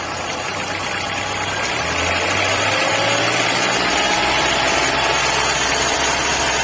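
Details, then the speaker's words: VW Gol G5 petrol engine after swapping in a used belt for the noisy air-conditioning compressor belt: runs evenly at idle with a light rev, no squeal or chirp; problem resolved. "bom, deixa em marcha lenta. Vou deixar mais um tempinho em teste aí, em observação, mas certeza que o problema tá resolvido aí."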